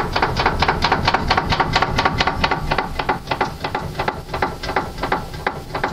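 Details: Steering worked back and forth with the tie-rod boots removed to find a knock: sharp, hollow clunks around one and a half per second. Tie rods checked and fine, so the knock is suspected inside the steering rack body, not confirmed.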